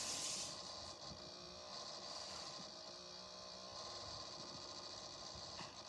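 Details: PC that has made this noise since new: quiet, rough, scratchy whirr with a faint rasp on the airflow. Owner suspects a faulty CPU fan, as the CPU area heats up too quickly even with no apps open; grinding noise, unconfirmed.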